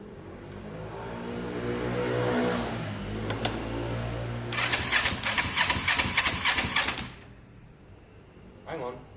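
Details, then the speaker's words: Motorcycle with no exhaust fitted and a just-installed battery, first crank attempt: the starter churns, then a harsh buzzing crackle runs about two seconds and cuts off. Sounds electrical; source not yet found. "something sounded electrical there didn't it"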